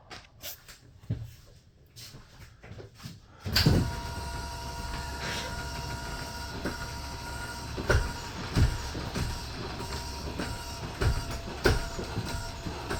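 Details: Heartland indoor jack system: after a quiet start a motor kicks in with a steady hum and whine plus irregular clunks; loud noise during operation, cause unclear.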